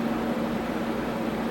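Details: Tektronix 574 oscilloscope cooling fan after lubricating its bearings with a few drops and reassembling: steady, even airy whoosh with a low constant hum and no ticking or scraping. Normal running after repair.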